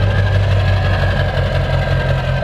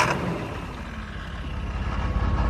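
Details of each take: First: Ford diesel truck after suspected fuel system air bubbles cleared: steady, even diesel clatter at idle with deep constant rumble, no surging and no more white smoke; normal idle. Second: Diesel truck cranked in 40-second intervals after an injector rebuild to purge air and fill the injectors: two long bursts of steady starter whir, about four turns a second, engine never fires; crank no-start, glow plug light stays on.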